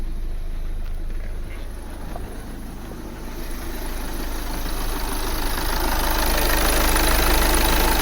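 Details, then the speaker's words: 2009 VW Tiguan 2.0 TDI diesel restarted after clearing a recurring fault code: steady, even diesel clatter at stable idle, still slight shake but no stumbles; exhaust better, cause of earlier misfire unknown. "wow he looks stable to me he's still shaking a bit but of course this is diesel but it's not that you remember before it was like okay"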